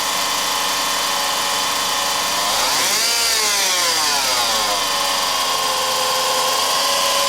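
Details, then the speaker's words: 2004 Honda Civic LX 1.7L at idle: a high whirring whine that rises and falls with quick revs and follows engine speed. The owner is fairly sure the alternator front bearing is shot, though a power steering pump was also suspected. "noise that it's creating pretty sure the front bearing on it is shot"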